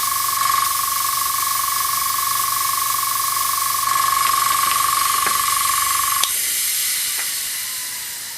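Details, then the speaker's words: Iwata Sprint Jet (model 800) oilless piston airbrush compressor: on switching on, a loud steady hiss with a thin whistle over the compressor hum as air bleeds off through the bottom of the regulator filter while pressure builds, cutting off at the end; normal regulator bleed-off. "now when I switch this on you will hear a bleeding off through here through the bottom of the filter as it builds up you'll hear it in food so basically this is how you regulate the air"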